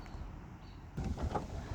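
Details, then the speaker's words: 2004 Honda S2000 with 109,000 km, pre-purchase inspection: power convertible top folding down with a soft, even motor hum and light mechanical rustle; top operates normally. "Okay, here's the top going down. Everything seems to operate just fine. So we are good there."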